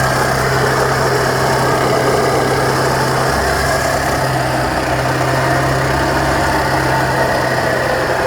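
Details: 2010 Chevrolet Traverse, sat about a year, at idle: loud steady low drone over the engine from the A/C compressor, whose clutch front is hanging off, not the engine; compressor to be replaced.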